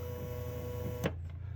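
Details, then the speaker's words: 2011 Toyota Camry power window motor tested with the switch bypassed: the red up wire (second pin) is jumped to ground. A steady, even low hum and whir, then a stop with a click; the motor works. "now you can just take that off your switch while it's in the vehicle and just run it to ground okay motor running"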